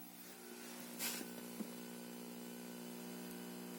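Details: Junsun Android 9.0 head unit in a Honda Accord 7 (2003–2007): steady low buzzing hum through the speakers with sharp crackle bursts; digital audio noise and crackling.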